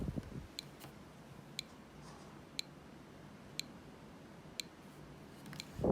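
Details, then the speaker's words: Arduino ticking clock using a buzzer on pin 12 after a code change: crisp single ticks exactly once a second in a quiet room; clock working properly. "now if we upload the sketch to the brain board we can see here it's compiling and we can hear that the ticking clock is working there"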